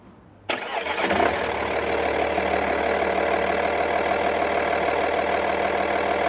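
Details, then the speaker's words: Audi A8 D2 2.5 TDI V6 (AKE), earlier running rough as if one cylinder dead, after head repair with new valve guides and seat; cranks, catches and idles smoothly, fuel correction within ±0.7–1.5, all working well. "silnik, widać że trójka chodzi płynnie, patrzymy na korektę - korekta jest też normalnie - do plus minus 1,5, korekta tu generalnie idealna, nawet do plus minus 0,7, wszystko działa dobrze"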